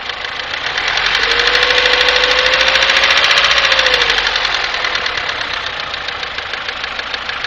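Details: Daewoo Nexia 1997 with G15MF engine, running: sharp, even ticking at about 200 per minute over the engine; a clear internal knock, cause not yet pinned down.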